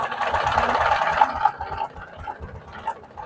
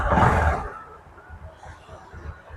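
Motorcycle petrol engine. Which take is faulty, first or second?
first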